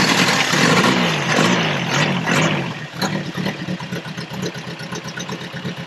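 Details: 1979 Toyota first-gen 4x4 pickup, built engine with low-compression pistons and cam, sat for years, no-start from empty tank: cranking then ragged firing about four pulses a second once gas added; runs, though not normally.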